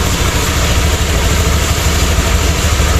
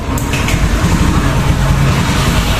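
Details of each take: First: Honda Beat ESP that stumbled and wouldn't rev, now fitted with a Scoopy injector: holds a steady, even idle, then climbs cleanly to high rpm without stumbling or popping; runs normally. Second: Honda Beat ESP scooter stumbling at upper throttle, hard to start: low, rough, uneven rumble that keeps faltering, starts then dies; failing fuel injector starving the engine.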